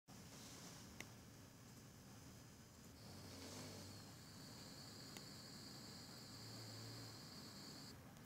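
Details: Zotac GTX 970 AMP! Extreme graphics card with a thin, high-pitched coil whine over a low fan hum, shifting pitch as the load changes.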